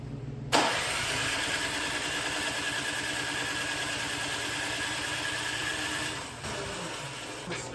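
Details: Discarded snow blower cranked on electric start (pull cord broken) for about five seconds, spinning steadily without catching; has spark, so owner rules out plug and coil and suspects the carburetor; cranks but won't start.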